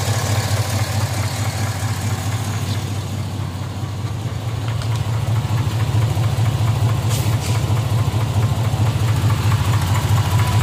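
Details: 2005 Z71 with an L33 block rebuilt less than 20,000 miles ago: at warm idle a regular dull knock, a little over two per second, over the low rumble, only once the engine reaches operating temperature; internal knock.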